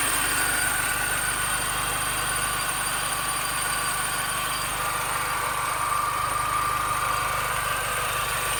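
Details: 2005 Mini Cooper S idling with a thin, wavering squeal that grows stronger, apparently from the belt side; owner suspects the idler pulley, unconfirmed.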